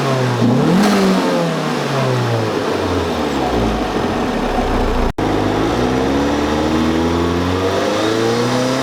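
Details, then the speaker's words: Turbo Miata with stock BorgWarner recirculation/diverter valve, before Turbosmart Kompact upgrade: engine revs and drops back, thin whistle as throttle closes; owner calls it an annoying eBay-blow-off-valve-like whistle since the setup was built. "I would not consider it a cool turbo sound it's more of an annoying almost like eBay blow-off valve whistling"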